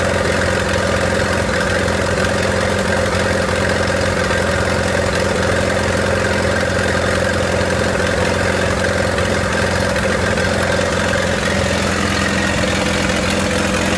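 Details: 1928 Farmall Regular four-cylinder tractor engine idling after carburetor tweaks, spark advanced about halfway: steady, even chuffing with a constant low throb and no knocks or misses. Smooth normal idle.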